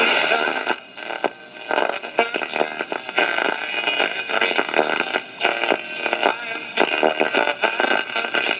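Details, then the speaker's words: 1960 Akkord Pinguin U60-US AM/FM/SW transistor radio, West German: local AM music station harsh and heavily distorted, crackling on loud passages; automatic gain control suspected faulty. "it seems like the automatic game control is shot that's a local music station you can hear it's very heavily distorted"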